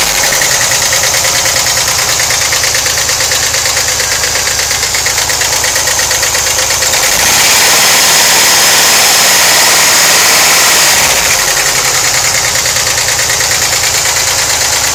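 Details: 1991 VW Vanagon 2.1L WBX at idle: loud fast ticking about three per second, louder on left side of engine compartment; owner suspects hydraulic lifters, unconfirmed.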